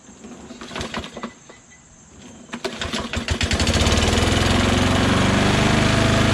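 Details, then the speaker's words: Mower with oil and gas, wouldn't start after three or four pulls, started on starting fluid: sputtering bursts and stumbles, then surges into a fast, uneven run; erratic running. "i shot some gogo juice in there and then it started up however then it started to run really um erratically you know i'll show"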